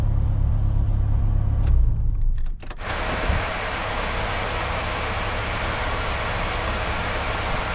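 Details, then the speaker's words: Supercharged Honda K20 with K24 crank pulley, coolant 188, IAT 123, idle about 1,000 rpm: low steady even idle rumble with no belt squeal or chirp, earlier belt whistle gone; engine idling cleanly. "temperature 188 IAT 123 idle is about 1,000 sounds good sounds good"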